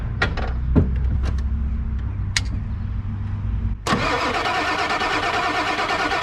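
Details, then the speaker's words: Non-running 1997 Ford F250 7.3L Powerstroke diesel that sat for a while, cranking slowly with sharp irregular clicks before catching; owner suspects injectors priming, source of clicking unknown. "sounds like the injectors are starting to Prime up yeah it's clicky clicky in here I just don't know where it's coming from"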